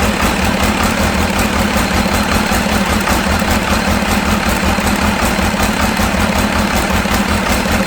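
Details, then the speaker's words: Cummins diesel engine in a C40 project truck: loud idle with an uneven, stumbling beat of about two or three lumps a second, runs decent at higher rpm; cylinder missing, cause not found. "It's definitely missing, carrying on, just, I don't know, runs decent if you bring it up into the RPMs a little bit, but we've seen that before with misses."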